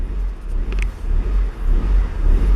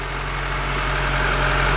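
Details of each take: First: Honda Civic with idle surging fault (P0505 context), engine now warm after a cold start that idled fine: idle rises and falls on its own in a slow uneven swell, jumping more as it heats; dirty or sticking idle air control valve. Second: Honda Civic with idle surging and P0505 IACV trouble, engine warm, after a switch was removed and the lights turned off: low, steady hum with no rise and fall, smooth and even. Normal idle.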